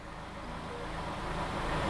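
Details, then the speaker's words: 2019 Mercedes-Benz A-Class, unrun for 12 months, started after the relay's output pin was powered directly through a fused jumper. It catches and runs steadily with no knocks or misses, sounding pretty decent; why the relay isn't energized remains unsolved. "after 12 months this car started and it ran again and it actually sounded pretty decent but we're not out of the woods yet"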